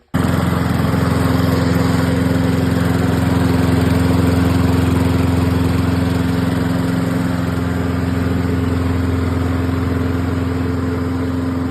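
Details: Cheap used Toro lawn mower after fitting a new carburetor, spark plug, air cleaner and fuel shut-off: a strong, steady single-cylinder drone at constant speed with no misses or surging. It runs great.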